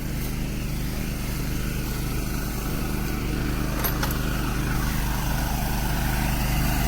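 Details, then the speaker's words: Air compressor building pressure for sprinkler blowout: steady low chugging pump beat about 3.5 per second, note slowly rising as pressure builds; normal. "now is i'm waiting to build up the pressure which is it will give the other noise which is"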